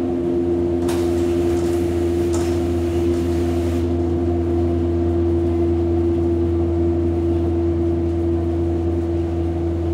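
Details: Hamburg U-Bahn DT5 343-1 train running: strong steady constant-pitch whistle over a deep hum; traction motor whine, likely worn motors.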